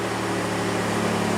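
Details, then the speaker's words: 2000 Toyota 4Runner (3rd gen), cold start after the battery was disconnected for a Performance Chip install; not started in about two weeks, no fault lights. Smooth, steady hum a bit above normal idle, no misses or knocks: high idle. "All right, here we go. We're gonna fire it up. It's idling high."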